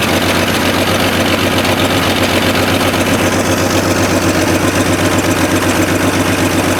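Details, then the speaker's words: 1965 Chevrolet C10, 292 inline six, 3-speed manual, first start after years abandoned, on makeshift fuel tank with starting fluid and can carb clean; low uneven idle with sharp puffing tick about four per second; engine good, exhaust manifold leak. "I would say that's a good engine so definitely would say it's got an exhaust leak uh sounds like it's right here right out of the exhaust manifold"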